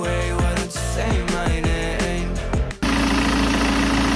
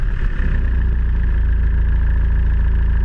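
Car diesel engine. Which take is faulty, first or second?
first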